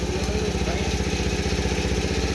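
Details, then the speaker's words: $200 marketplace small dirt bike/moped, just started with a little gas: steady, even putter at idle with a quick regular firing beat, no misses or knocks; a clean normal idle. "Okay. There we go. You gotta give it a little gas. It's alive! Sounds good too. Idling."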